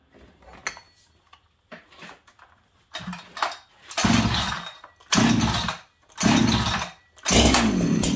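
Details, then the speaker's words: Stock Farmertec 288 kit chainsaw, later found almost out of fuel despite seeming to have some. It fires in short uneven bursts, revving then dying about once a second and won't hold steady; the owner first thought it needed a tune. "interesting this song may need to tune friends hold on in fact I'm going to say it needs a tune 100"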